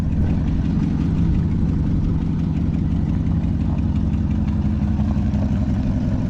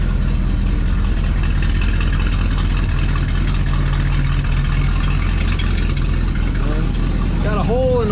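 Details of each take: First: 1973 Chevrolet Chevelle Malibu V8 idling after the electric fuel pump was fixed (it was damaged when the car ran out of gas) and the gas gauge was repaired; steady, even burble with no knocks or misses, running normally. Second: 1973 Chevrolet Chevelle Malibu V8 running right after a new electric fuel pump was fitted (the old one died when the tank ran dry): loud, steady idle with a raspy puffing edge; exhaust is leaking.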